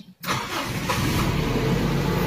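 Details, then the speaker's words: Toyota Big Body GLI after ECT sensor replacement fixed hard starting, missing and low 400–500 rpm cold idle: catches at once, smooth even slightly fast cold idle, no misses; cold start working. "gumagana na yung cold start niya mga idol."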